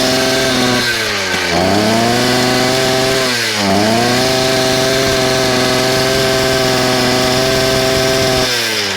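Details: Small engine, after clearing a kink in the fuel line, gives a strong steady high-speed drone that dips and recovers cleanly with the throttle, no stumble or misfire; normal running.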